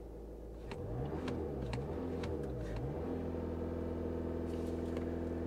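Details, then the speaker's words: Diesel car at a Copart lot; revs climb quickly, then hold a steady strong drone at the rev limiter with no rattles; turbo spools normally. "let me see if I could turn this down so you guys can hear this hold on how about there's got to be a area listen to this diesel spool up"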